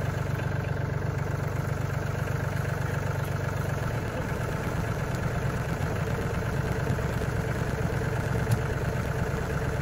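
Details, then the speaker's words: Steady low diesel idle of the tractor, cold, with an uneven, fairly quick ticking over it, loud and seeming to come near a part marked "oil" (owner suspects oil pump); expected to lessen once fully warmed; cause unknown. "That ticking will lessen and almost go away once the engine is really warmed up well."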